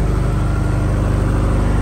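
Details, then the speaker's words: Reconditioned 35 kVA Kirloskar silent generator, Deutz HA494 four-cylinder air-cooled diesel, 45 BHP at 1500 rpm, about 100% load, microphone right beside it: deep, even drone, no smoke, no knocks or rattles; normal running under full load. "भी आप check कर सकते हो दोस्तों 100% load प कोई फालतू नॉज नहीं मिलेगा आपको दोस्तों मैं बिल्कुल सट के खड़ा हूं जनरेटर के तब यह आवाज आ रही है"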